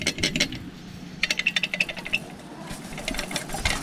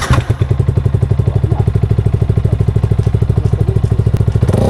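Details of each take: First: Yamaha Sniper 155R with Dyno Pro exhaust, pipe removed and shaken by hand: bursts of light metallic jingling; the rattle is suspected to come from a loose nut on the pipe that wobbles when shaken. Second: Yamaha Sniper 155R with Dyno Pro exhaust, after tightening the loose nut that rattled: even, steady idle then smooth rev with no rattle or buzz; sound test confirms that bolt was the culprit and the exhaust is normal.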